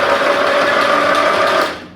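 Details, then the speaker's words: 1974 Dynastar lawn tractor barn find, sat about 30 years, spark plug out, fresh oil in crankcase, starter reattached: smooth even high whir, spinning over freely with no compression pulses; normal free cranking. "well that's a good sign she whirls over pretty good"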